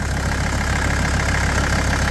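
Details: 1983 Mercedes 300D, OM617 five-cylinder turbo diesel: steady, even low rumble with no misses or knocks, a healthy idle; a loose belt is seen and something loose and clattery is suspected outside the engine.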